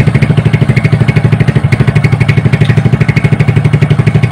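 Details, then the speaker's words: Honda Supra hybrid (BMC block right side, Honda block left) after teardown to cure a rough engine noise, restarted: steady, even single-cylinder idle thump, no knock or rattle; healthy idle. "Oke, untuk hasilnya ya, antara sebelum bongkar sampai udah bongkar bisa kalian lihat sendiri."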